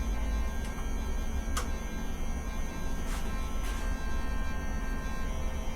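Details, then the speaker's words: Ducati 750SS sitting for years, first power-up during restoration: fuel pump runs continuously with a steady electric buzz, whir, low hum and clicks, louder than it should be and not stopping; noisy fuel pump. "Wow, I got power. That's the sound of the fuel pump."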